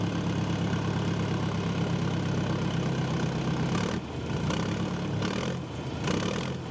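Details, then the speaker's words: John Deere 310A backhoe diesel, first start after fuel system and fuel pump repair, idling to bleed air and charge the battery: a deep, steady, low rumble with a couple of brief dips. The engine is running healthy. "all right let it run for a little bit and uh charge up the battery bleed any the air out and we should be good"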